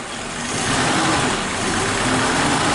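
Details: Warm Suzuki Katana carbureted engine idling: the idle mixture screw is set too tight (too lean), so idle speed is low, with an airy, slow, uneven note. Lean idle mixture, low idle speed.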